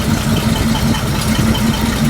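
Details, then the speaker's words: 1941 Chrysler flathead six run briefly without coolant on 87 octane: lumpy, rocking idle pulsing about four times a second; misfire from crossed plug leads, giving the wrong firing order. "It doesn't sound bad. Let's give another shot. Yeah, it's it's rocking a little bit,"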